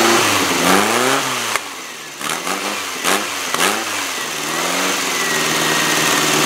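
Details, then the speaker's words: Freshly rebuilt VW air-cooled flat-four with header exhaust, electronic distributor and high-energy coil, in a 1957 Porsche 356 replica kit car, first start: revving with sharp pops and flutter as revs fall, ignition timing not set yet. "there's a little tiny bit of a backfire and that's we don't have the timing set exactly right so there's a little tiny bit of a flutter and there's a little bit of a popping"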